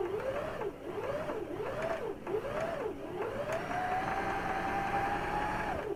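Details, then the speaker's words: Sewing machine running after cleaning and lubrication: short whirring bursts rising and falling in pitch, then a long smooth, even hum with no knocking or catching; after normal oiling the machine runs noticeably lighter. "Өте жақсы. Кәдімгідей майлағаннан кейін машинаның жүрісі жеңілдеп қалды."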